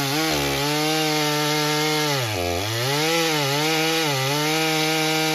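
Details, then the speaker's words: Stihl MS661c with a forged Wiseco piston on its first tank, 40:1 mix, 32-inch bar, cutting soggy poplar; pitch drops and burbles as it four-strokes a little on the first cut, then cleans up on the second cut. "You could kind of hear it four-stroking a little bit on that first cut, and then it started to clean up in the second cut for sure, and really was doing nice."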